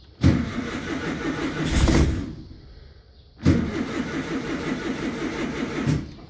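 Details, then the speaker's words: Carbureted bus engine, cold start early at about 45°F: gas pumped, put in neutral, two cranking bursts each catching quickly into a steady, even idle with no misses or knocks. Normal cold start. "This is a cold engine start. It's early. It's about 45 degrees out."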